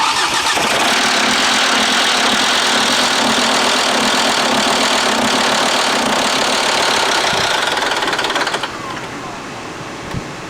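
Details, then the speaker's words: Five-cylinder engine at 184,000 miles, timing belt last replaced around 95,000 miles: loud, ragged, uneven lumpy running with hollow tone, not firing on all five cylinders because the timing belt jumped teeth; slightly better. "it sounded like it got a little bit better it definitely wasn't firing on all five cylinders"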